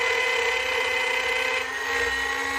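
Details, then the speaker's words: Small trim router with bearing-guided straight bit cutting along a template, run with the grain: high steady motor whine with rough buzzy edge and chattering bit from taking too much off in one pass. "Nice and slow. Hear the chattering of the bit. So we're taking a lot off with this little router."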